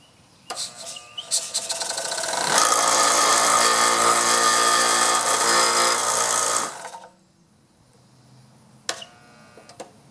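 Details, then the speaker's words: Dumpster-found DeWalt 6-gallon 135 PSI hot dog compressor after freeing a seized unit that only hummed, on a long extension cord; stumbling start, then steady fast piston chatter for about four seconds and a clean shut-off: running properly. "Had a little bit of a hard time starting cuz I had such a long extension cord."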